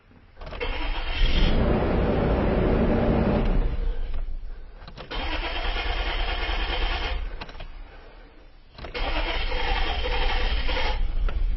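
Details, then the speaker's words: Isuzu Rodeo with new fuel pump, cranking no-start: engine cranks, catches briefly on residual fuel pressure and runs a few seconds, then dies; test light at pump does not light, fuel pump not getting power from faulty wiring. "the engine ran a little bit because of the fuel pressure that we built up earlier but the test light did not light"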